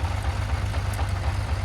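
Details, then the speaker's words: 1980 Honda CBX 1000, high-mileage engine, after a lazy start: short idle with a deep, slightly uneven lumpy pulse and a faint low knock; mild clutch knock at idle, described as typical for these bikes. "you'll hear a little bit of clutch knock on this this one sounds it probably sounds worse on the video but this is about as good as they ever sound"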